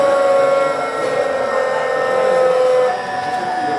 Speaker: Very familiar sound to those people who take the train between Cambridge and London. And that switching frequency staying about the same.